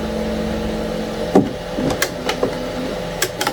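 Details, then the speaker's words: Anycubic ACE Pro, second slot retracting red filament: light motor whir with only a few soft clicks and no grinding; gears mesh cleanly, unlike the first slot, whose gear does not connect well and grinds. "I think this gear is gonna spin nicely. Okay, let's do the first one again. And now it's gonna do the second one. Yeah, look at that. It meshes so nicely together."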